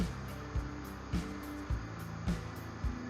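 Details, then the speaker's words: Automatic washing machine that showed an E error code and would not run, after repair: steady low motor hum with a soft thump about every half second as the drum turns; the motor runs normally again. "มาทำงานแล้วนะครับตอนนี้นะนะครับมาเริ่มทำงานแล้วนะครับ"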